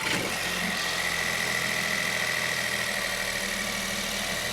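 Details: 2022 Audi A1 with about 2,000–3,000 miles, small petrol engine with the intake held down where a missing clip caused a vacuum leak: steady even idle with a faint high whistle, the earlier noise gone.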